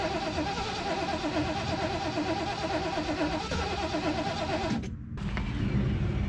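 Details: 1973 Mercury Grand Marquis, 429 Ford V8, C6, 55k original miles, long-sitting, fuel poured in carb float bowls for first fire attempt: steady rhythmic starter churning, no firing; cranks but won't start.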